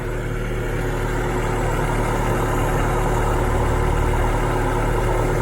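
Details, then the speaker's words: 1977.5 Toyota SR5 pickup with 20R engine, desmogged, returned after 7 years sitting. An even low-rumble idle at about four beats a second with no misses or knocks; healthy, lights right off. "Listen to that thing. It purrs like a kitten. And just absolutely lights right off."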